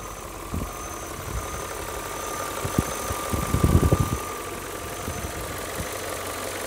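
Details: BMW E39 M5 V8 idling, after oil change and replacement of oil separators and upper hoses for black exhaust smoke: steady idle with a light, uneven rattle and faint high whine; owner concludes it's just its normal sound.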